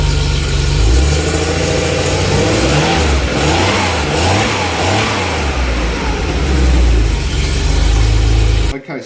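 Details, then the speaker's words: Porsche 911 SC barn find sitting 16 years: lumpy, uneven rough idle swelling and sagging with throttle, occasional pops backfiring into intake; pop-off valve to be fitted on airbox, mixture being adjusted. "right so that's one lumpy you hear that pop back yeah that's why we're going to put pop off valve in here"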